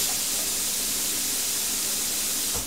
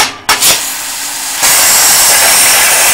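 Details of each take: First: Plasma cutter with the torch switch plug shorted by a screwdriver: steady airy hiss with faint hum, running continuously without cutting out; so the fault lies in the torch switch or its wiring. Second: Plasma cutter torch: steady hissing air-and-arc roar runs about four seconds, then drops out while the trigger is still held, restarting when the torch is knocked; suspected faulty torch switch, replaceable with a TIG switch.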